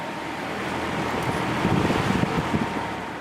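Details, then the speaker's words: Air King PL20P vintage box fan with two-speed GE motor, final run after cleaning and oiling, grilles back on, motor running cool: soft, even rush of air with a faint steady hum, no rattles or ticks; very quiet, normal. "all right here's the final run of the um air King pl20p this fan is very quiet"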